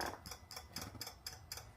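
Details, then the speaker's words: 2014 Peugeot Partner 1.6 HDi after diesel additive tank replacement: rapid, even ticking at about four clicks per second as the activated additive pump primes the fluid; normal operation. "we have activated the um pump for the diesel additive tank. So you can probably hear that. Now, what that'll do, that will prime the fluid up and that'll be ready to go."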